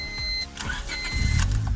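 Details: Turbo Honda on E85, after starter replacement, stock ECU fitted: steady dash chime, brief crank, then the engine catches and settles into a firm, even rumble: normal start.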